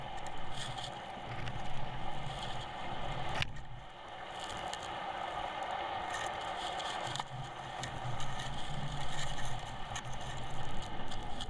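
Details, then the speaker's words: 46 lb Ultra anchor on all-chain 3/8 in BBB rode at 2.5:1 scope, after holding 250 lb then reversed: irregular scraping and rustling rumble that never settles as the anchor keeps sliding along the bottom, fouled with weed and not resetting. "Here is a reversal, and the anchor, the camera becomes fouled, but we can listen and hear that the anchor does not reset. It just keeps on moving."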